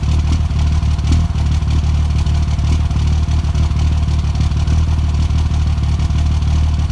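Cold idle stumbles with uneven thumps and irregular dropouts in the beat rather than a steady rhythm; rough running points to a misfire.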